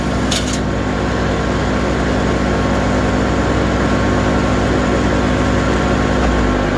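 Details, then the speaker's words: Wood chipper at PTO speed, about 540 rpm, after greasing and feeder repair, put in neutral to spin down: steady, even drone with constant fan whoosh, no knocking or grinding; sounds healthy, takes long to stop. "track is not even running [Music] sounds pretty good doesn't it takes quite a while to stop"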